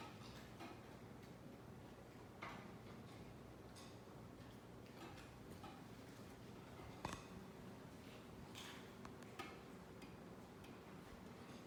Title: Knocking sound from the ceiling fan